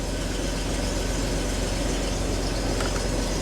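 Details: 2005 Jeep Wrangler after a crank-no-start, idling while a CKP sensor circuit code is cleared; it had a prior intermittent oxygen sensor code. Steady, even low rumble with no misses, knocks or surging. Normal, healthy idle.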